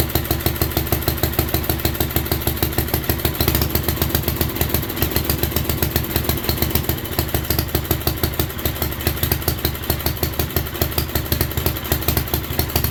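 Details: 1967 Unico 7hp single-cylinder tractor with rebuilt carb, first run in 27 years, fuel valve left open: steady even thump holding rhythm with no misses or surging; healthy idle.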